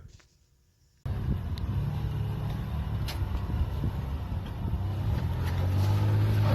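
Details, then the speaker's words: 2000 Toyota 4Runner SR5 off-roading on a trail: engine drones under heavy load up a climb, then a sharp crack right at the top as a CV axle snaps; it was repaired on the trail and driven home. "You hear it snap right as it gets to the top."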